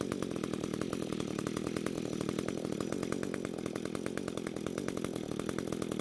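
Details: Two-stroke string trimmer that had spark, some compression and fuel but wouldn't start, now running after suspected bad coil replaced and fuel flow confirmed, carb untouched: steady high-speed buzz with even firing, no misses or sputter; runs cleanly.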